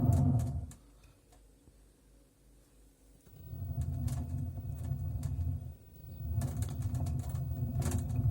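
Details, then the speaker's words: LG direct-drive washing machine, drum spinning up: a low rumbling drone builds, the sound of worn drum bearings. "когда вас будет изношен подшипник то при вращении барабана будет вот такой вот звук"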